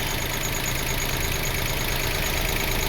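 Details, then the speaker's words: 2005 Toyota Passo after the no-crank and idle control faults caused by a previous repair were fixed and codes cleared. The engine settles back to a steady, even idle after a throttle blip, with no hunting. Normal idle. "Okay, looks like we're running well. Let's give it some gas. Alright, idle control problem solved."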